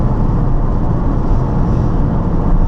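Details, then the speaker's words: Nissan 350Z driving with upshifts at the owner's-manual speeds of 15, 25, 40, 45 and 50 mph. A steady low engine drone holds at cruise after the shift, with no stumble or bogging. Normal pull after upshift. "that's normal I'd say that's normal that's probably about where it should be the normal the quick acceleration"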